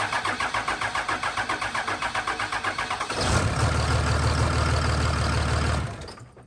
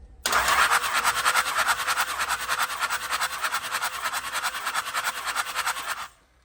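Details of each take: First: Cummins diesel truck after a valve lash check, which did not help: about three seconds of rhythmic cranking before it catches, then an uneven, lumpy idle. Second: Cummins diesel truck, compression test with the injectors out, cranked by powering the ignition solenoid wire. Steady cranking at about three even pulses a second with no drop-outs; compression is not too bad.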